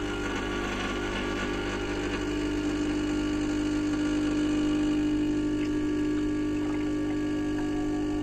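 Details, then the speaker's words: 2010 Gaggia Classic espresso pump running against a pressure gauge (portafilter without basket): steady buzzing hum dipping slightly as the over-pressure valve opens, bypassing water back to the tank and holding about 9.5 bar; normal. "we can hear the lpv valve there it is it's open it's letting water back into the tank and that's setting it in at about nine and a half bar"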